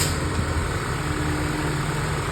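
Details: Honda City with a dirty throttle body, high-tension wires taped after arcing to the valve cover, to cure a misfire and unstable idle: steady, even, low smooth idle with no stumble or miss.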